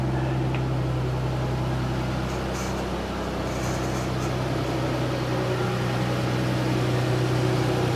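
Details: 1999 Isuzu Rodeo that broke down years ago, first start after refitting the gas tank and new fuel pump: steady even idle with a faint whir up top; owner suspects an idler pulley bearing.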